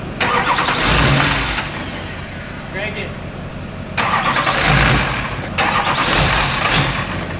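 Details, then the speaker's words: Wrecked Duramax diesel for a K20 swap, first runs during sensor wiring checks: revs up in surges and drops back smoothly, no knock or rod-bearing noise; engine sounds healthy, remaining problems thought to be computer/wiring. "runs off either it doesn't sound bad which is a huge plus it's not knock and it's not it doesn't sound like it through a rod bearing or anything like that"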